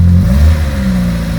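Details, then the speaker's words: Reliant Regal Supervan 3, petrol engine refitted after years electric, running cold on choke after fixing dodgy coil connections: short, even rev with no misfire, knock or rattle, pulling cleanly. The carburetor setting is not yet right. "right after a bit of playing about and dodgy connections on the coil we are running sounds good"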